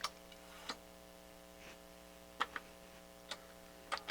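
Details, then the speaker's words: Pioneer CT-8R direct-drive cassette deck: irregular sharp mechanical clicks over a faint hum as the transport fails to engage play; a problem with head and capstan roller loading is suspected, and the motors earlier lacked torque. "does not want to play he does not want to play at all okay so we got a problem with the capstan loading of the heads and the capstan rollers"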